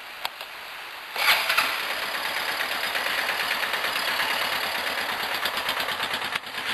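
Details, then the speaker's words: Baja Wilderness single-cylinder with airbox lid removed, freshly cleaned air filter and spark plug: loud hissing intake roar over steady even patter at start-up; runs well, though it bogs past third gear with lid off. "Man, that's freaking loud, dude. Yeah, I just cleaned my air filter yesterday and I cleaned my spark plug, so it's going pretty good."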